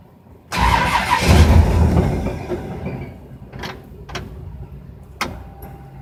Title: Fitech no start